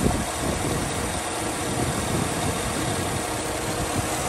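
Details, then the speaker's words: 2007 Chevrolet Tahoe V8 idling roughly with an uneven, stumbling low thump, engine visibly shaking; P0307 cylinder 7 misfire persisted after new plugs, wires and coil, later traced to a collapsed AFM lifter. "just looking at my engine you can see it just sitting there just shaking uh it should not be running like that this is a misfire cylinder seven"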